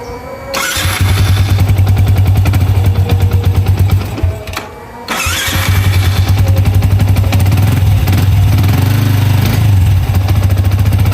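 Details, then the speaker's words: Yamaha Vixion, listening near the head/valve rocker area after work on it: lumpy idle with a faint uneven knock still present, possibly from the clutch side; the valve pinging heard before at mid throttle is now gone. Cause suspected, not confirmed. "Nah ini terdengar suaranya masih agak ngelotok ya, itu bisa disebabkan dari bagian kopling juga."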